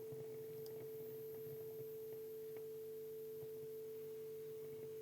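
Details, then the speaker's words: Bush TV22 valve TV warming up, EHT rectifier lit: thin steady high line-output whistle over faint constant hum, line stage running normally; no picture yet. "I can start to hear the line stage, so that's good news. Got a strong line whistle, excellent."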